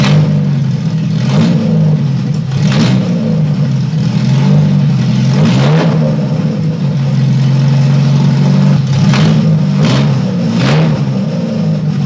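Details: Fiat 147 under restoration, freshly installed engine: a steady, even note with several clean throttle blips that rise and fall back smoothly, with no knock; normal revving.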